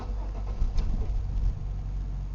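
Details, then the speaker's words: 1997 Chevy Malibu, theft light blinking: engine catches with a few uneven low chugs, stumbles and dies within two seconds despite feathering the accelerator; starts then stalls, anti-theft system suspected. "the theft light is now blinking and it won't restart if we try to restart it it'll do that and that's it that's all it does"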